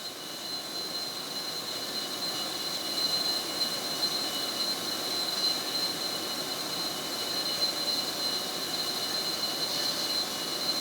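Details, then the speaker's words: 1990 Sony BVU-950 3/4" U-matic VTR fast-forwarding a blank tape during repair and overhaul: an even, steady rushing hiss with a faint constant high whine; the tape winds smoothly with no catching and no error code yet. "Okay, so this will be fast forwarding and hasn't thrown up an error code yet."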